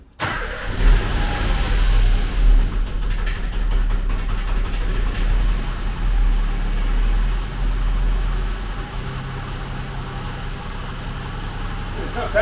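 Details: K12 Nissan Micra after front brake discs and pads were replaced and an exhaust noise fixed; starter crank, then a lumpy idle that never quite settles; owner thinks spark plugs could help, cause unconfirmed. Rough running after start.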